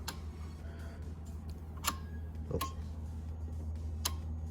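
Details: Turbo LS Caravan with 4L80E, transbrake relay tested by touching positive while logging, trans in second gear: a few sharp single clicks over a low steady hum as the coil is energized; relay switches properly, though third gear doesn't seem to be commanded.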